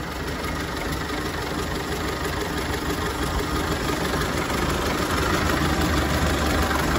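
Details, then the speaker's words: 1930 Ford Model A, 201 cubic inch four-cylinder, 6-volt positive ground, three-speed manual, heard under the hood: an even, quick ticking idle at roughly three beats a second with no misfires or knocks; the engine runs great. "definitely it's got a nice sound to it the engine runs great"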